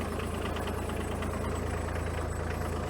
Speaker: started and ran pretty good though